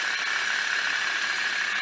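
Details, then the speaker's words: Ceiling fan after opening and repairing a strange noise caused by a broken bearing: steady even whir with no scraping, knocks or rattles; normal running after repair. "é só o barulho do ventilador mesmo"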